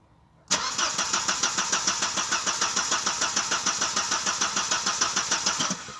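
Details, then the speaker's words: 1992 Audi 80 that intermittently won't start: no fuel pump hum at ignition, then steady cranking at about 200 beats a minute that never catches. Crank, no start from a dead fuel pump. "Jag hör ingen bränslepump. Nej, det verkar helt dött i tanken."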